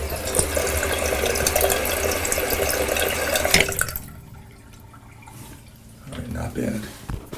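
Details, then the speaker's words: Toilet whose fill valve caused water hammer; cleaning the valve only lessened it. After a water hammer arrestor was installed on the supply, the flush and refill give a steady rush of water with no banging in the pipes, which is fixed. "much better well no more banging I'll make sure there's no leaks"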